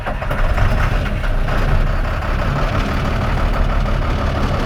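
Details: Rough idle on a 2005 International 7500 diesel at startup: heavy clatter with an uneven, lumpy beat and occasional harder knocks. Owners are pretty sure at least one injector is bad; cause not confirmed.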